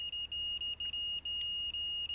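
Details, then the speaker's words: Fluke multimeter still beeping continuity at 99 ohms from a decade box: thin high beep chopped into short uneven pulses, Morse-like; threshold later found about 120 ohms, so beeping doesn't prove an automotive blade fuse good. "We're still beeping at 99 ohms on this very expensive fluke."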